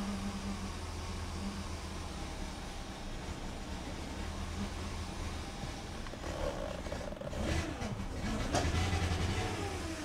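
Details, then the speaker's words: 1998 Mercedes S420: low uneven lumpy idle pulse then sluggish rev; no acceleration, no check engine light, smoke test found no vacuum leaks; cause unknown, fuel suspected. "I just don't know why there's no acceleration"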